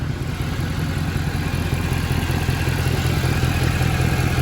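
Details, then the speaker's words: Mercedes C63 AMG W204 with M156 engine, sat nearly four weeks, engine light on: rough V8 idle with sharp chuff at every firing pulse; exhaust manifold blowing, no smoke. "definitely exhausted blowing engine management light is on uh there's no smoking though"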